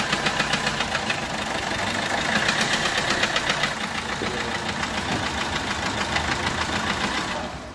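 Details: Peugeot 1.3 HDi diesel at idle: rough uneven ticking knock over the diesel clatter, resembling a leaking injector but actually compression loss from a bent valve not fully closing.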